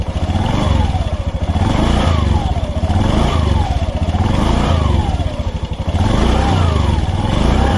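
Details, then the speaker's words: Honda Beat Fi scooter after replacing the CVT rollers and slide pieces to cure noise from the transmission when slowing down; revs rise and fall smoothly with a clean drive whine and no rattle: normal CVT operation. "yan Okay na siya subukan na natin siya paandarin para Tignan natin kung okay na"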